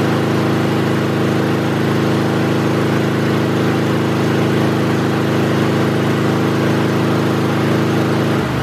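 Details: Kohler small engine at full throttle during a voltage regulator DC output test: steady, even single-tone drone with no misses or knocks; regulator puts out about 14.3 V DC, sounds healthy.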